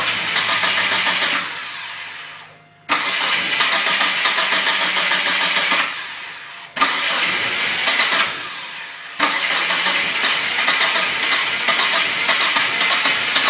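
Starter cranks for a couple of seconds at a time, the engine catches weakly and dies, over and over; hard starting, cause unknown.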